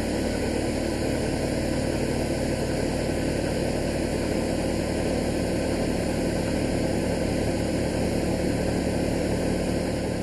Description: Class 33 diesel engine 33053 leaves Alton in great style, passing an incoming steam service before breaking down (@ 2.05 mins) and making a noise like a hoover.